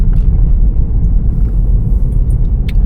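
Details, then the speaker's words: 2018 Vauxhall Corsa after replacing worn front shock absorber top mount: only smooth low road rumble while driving, no clunks or knocks where it previously knocked; front suspension quiet. "would have knocked around about now, so that's good. It's not knocked there."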